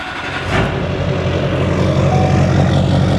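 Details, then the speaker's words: 2005 Duramax diesel truck after engine work (loose bolts and components had destroyed the engine), first fire-up: steady even clatter settling into smooth idle, no misses, knocks or smoke; normal diesel idle. "look at that beautiful no smoke you got to love the sound of a Duramax"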